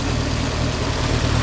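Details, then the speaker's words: Lancia Delta race car engine rebuilt after a front-end catastrophe, serious cams: lumpy but steady low idle, even beat, no knocks or ticks; runs very nicely and smooth. "did I say it runs very nicely very smooth it's not bad there's a little bit you can see things moving"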